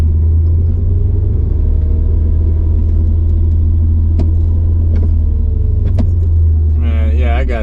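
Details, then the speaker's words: Mercedes C55 AMG, manual, driving after a crankshaft position sensor replacement: a heavy, steady low engine drone holds high near 2,000 rpm and won't drop back to idle until the clutch is let out; revs hang, cause not found. "that thing is so it's revving up to like almost 2,000 RPM that has to be something that's that's something's going on"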